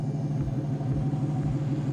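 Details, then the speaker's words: Rambler station wagon V8, first start in a long time after fixing a loose fuel pump ground, 50 psi oil pressure: steady, even low idle, smooth rumble, earlier lifter tick gone while warming up; normal idle. "sounds like that lifter tick went away just got to build some oil pressure but it's back and running now"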